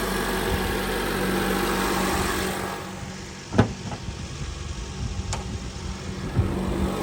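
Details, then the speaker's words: 2008 Honda CR-V after catalytic converter replacement, with the P0420 code cleared: the engine idles evenly at a calm low hum with one brief background clunk. No exhaust leak; healthy idle. "And she sounds beautiful. No exhaust leak."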